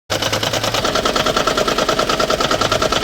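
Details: Toyota Prius: fast, even knocking clatter over running engine, like a cylinder misfire; the part first blamed, after misleading scanner data, was replaced and turned out not to be the cause.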